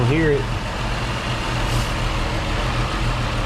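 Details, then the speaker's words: 2008 Ford Escape, about 300,000 miles, after replacing the taped, leaking intake air tube that caused stalling and rough running: brief start flare settling into steady, even idle with no pops or backfires. "Starting the engine now and see what she does. Ah, much better."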